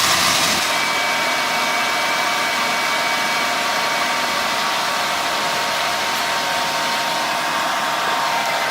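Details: 2003 Ford Escape after replacing a broken exhaust manifold bolt and gaskets, belt reinstalled: smooth, even idle hum with no ticking or puffing at the manifold; no exhaust leaks, sounds healthy.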